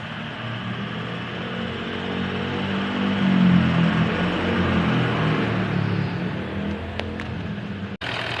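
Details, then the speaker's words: 2017 Toyota Land Cruiser VX 200 diesel, after repair without overhaul for knocking, rough running, low power and oil loss, turbo pressure sensor checked: steady, even idle, low smooth hum, knocking gone; engine running normally. "Alhamdulillah normal nih, Pak. Alhamdulillah bisa saya betulin. Ngerteeknya hilang, knockingnya hilang."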